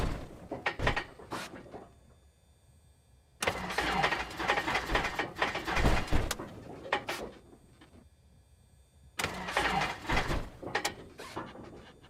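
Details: Cessna 172 hard start: three long cranking bursts with quiet gaps and sharp pops between; the engine churns over but refuses to catch and backfires.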